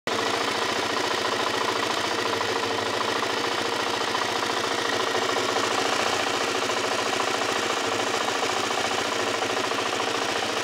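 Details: LTZ 400 quad at idle. A fast, sharp, chattering tick throughout, thin and hissy with little low end. The source of the tick is unknown. Engine ticking.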